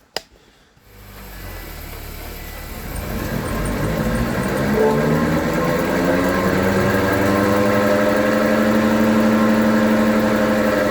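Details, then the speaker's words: 2020/2021 Honda Accord, collision-damaged, lifted with wheels rotating under engine power: loud droning hum rising in pitch from a prematurely worn front wheel bearing, possibly both sides; planned fix is spindle replacement. "we're gonna throw this in there, see if we can resolve this noise, because it sounds horrible when you drive it."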